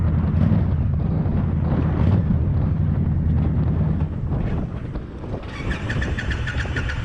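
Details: New Indian Scout Bobber motorcycle: low labouring cranking rumble at about three and a half beats per second that fades off with clicking and never catches; no-start, cause unknown.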